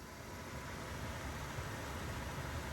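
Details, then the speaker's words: Nissan Note automatic heater blower working again after fuse replacement during blower motor swap: even rushing airflow with steady low hum, no rubbing, ticking or wobble. "So you can see I've turn it on here and it works again."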